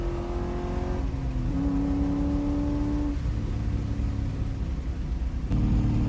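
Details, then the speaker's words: C5 Corvette with a BTR Stage 3 cam on a remote tune via HP Tuners, logging wide-open-throttle pulls: strong clean rising pull, a shift, then a smooth pull again with no stumbles. It sounds good and drives smooth. "It was so awesome getting to go wide open throttle on this car. I haven't been wide open throttle in this car since probably April. So, it's been a minute. Um, it felt amazing. It sounds so good and the car drives so smooth."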